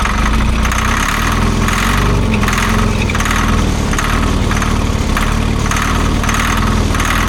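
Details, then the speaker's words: Old Grove crane diesel, unused for over 10 years, cranking after fuel bleeding: steady labored cranking with a chuff about once a second, never catching. Owner suspects a stuck fuel shutdown, since fuel reaches the rack. "You know what I wonder if the fuel shutdown is it's stuck because I have fuel all the way up there to the rack."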